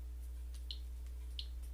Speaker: And what you're hearing right now is just the background radiation in this room.